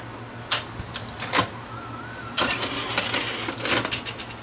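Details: Sony VO5850 U-matic deck after head drum swap from another model: sharp clicks and clatters in two bursts with a brief motor whir; the earlier fault no longer occurs, owner wonders if light hitting a sensor caused it; normal tape loading operation.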